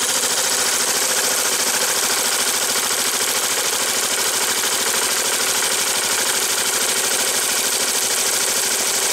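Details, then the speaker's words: 2005 Yamaha Majesty YP400 scooter, just after an oil and filter change, on its kickstand: the starter spins in a fast, even whir with no grinding and the engine catches and runs healthy; normal cranking and start. "this thing wasn't even attempt start can you hear that fuel pong good to go it starter"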